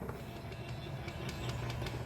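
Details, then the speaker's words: 2021 Ford Mustang Mach-E, nearly 3 years old and near end of warranty, driver power-folding side mirror closing and opening: buzzing fold motor stutters and chatters unevenly instead of a smooth hum, worse when closing; jittery mirror motor, passenger mirror has same issue. "And you can see how, as it's closing, it's doing really bad, like jitter is there."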